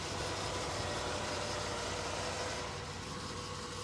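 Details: 1963 Chevrolet Corvette with 327 small block after cold start, not run for a couple of days, microphone moved around the engine: quiet smooth idle, no valvetrain, water pump or bearing noise.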